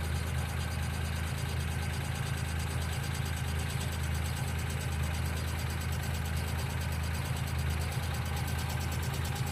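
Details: 1995 Geo Metro at steady low idle with a light, quick ticking at engine speed, typical of a noisy hydraulic lifter; B-12 fuel injection cleaner added to the engine oil before an oil change.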